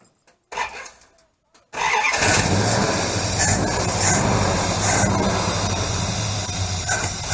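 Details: 318 Fireball Mopar V8 after valve stem seal replacement without removing the heads, done for oil smoke: short crank catches quickly into a steady, even idle with no ticking or roughness; normal start and idle.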